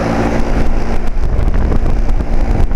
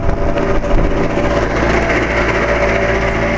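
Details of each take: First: 2007 Carrier 2.5-ton central air conditioner outdoor condenser, intermittent weird noises for years: steady, even whoosh of air off the top fan over a low, smooth hum; no knocks or rattles, sounding normal again, nice even airflow. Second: 2007 Carrier 2.5-ton central air conditioner outdoor unit making an intermittent weird noise, on and off for years: a steady humming drone with an uneven, rough whir layered over it. The fan motor is suspected.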